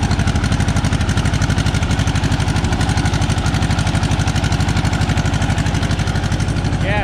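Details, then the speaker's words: Tractor finally running without catching fire; owner suspects it's only running on 3 cylinders, with oil spewing from the top of the head and heavy smoke. Lumpy, uneven chuffing at about two beats a second, stumbling like a cylinder dropping out: rough-running misfire. "Sounds like it's only running on 3 cylinders, but I'm gonna have to look into it."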